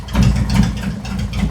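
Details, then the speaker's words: Post-repair idle: 2018 Harley-Davidson Road Glide, Milwaukee-Eight 114, ThunderMax ECM, new Cycle-Rama CR480MT cam, warming toward 180°. Previously ran hot with poor mileage. Deep, even V-twin thump, no misses or ticks; calm, healthy idle. "Just sitting there spinning around. Just as calm as it can be, man."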